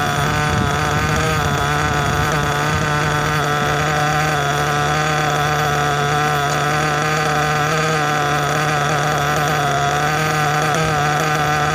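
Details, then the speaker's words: New nitro engine during step-1 break-in, preheated and idling two tanks; steady buzzing, even idle with no misses, smooth but rich with lots of unburnt fuel exiting. "Idle sounds good. Idle sounds smooth. At least for how rich it is. A lot of unburnt fuel that's coming out of here."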